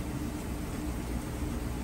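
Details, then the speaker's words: Whirlpool top-load washer, near-new condition, in spin: even, smooth whir with soft low hum, no knocking, banging or grinding; fast, smooth, quiet spin extracting water; normal. "So I can show you now that it is spinning nice and fast. Doing an excellent job extracting the water out of those clothes. And you can see here, nice, smooth, quiet operation."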